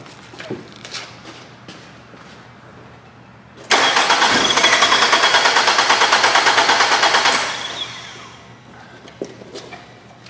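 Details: Nissan on a lab scope checking cam/crank correlation: starter cranks steadily about three times a second for several seconds but never catches; no-start from a cam/crank correlation fault traced to a worn timing chain and a malfunctioning phaser.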